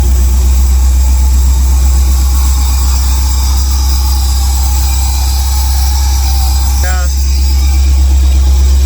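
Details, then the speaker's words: Freshly LS-swapped car on a cold start at about -5°C in the garage (-20 outside): steady thrumming idle with a thin, constant high whistle over it, coming from a throttle body screw that needs adjusting. "but that whistle you hear that's from that screw that needs to we need to adjust it"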